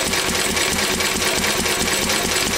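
Steady, quick chuffing beat with an even rhythm and no knocks or misses; this old stationary engine runs smoothly and healthy.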